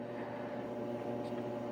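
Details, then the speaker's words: Frigidaire Crown dryer, model CRGR7900AS0, after removing a small zipper stuck in the drum rim that caused loud clunking: quiet, even hum and smooth drum run with no more clanging; sounds healthy. "I don't know if you can hear that, but very smooth operation. No more clanging."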